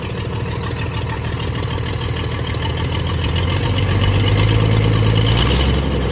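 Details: 1996 Dodge 2500 diesel, cold, no exhaust fitted, after stock HX35 turbo replacement and transmission swap, still burning off oil: clatter with quick steady tick about three per second and slightly lumpy, shaking idle; owner says it always ticked cold; rough cold idle.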